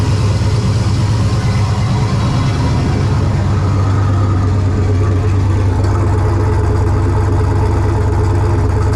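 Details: Ventura with On3 turbo LS V8, first start after winter storage: loud lumpy idle, stumble every so often not every turn; intermittent idle misfire, owner suspects cheap JDM spark plug wires.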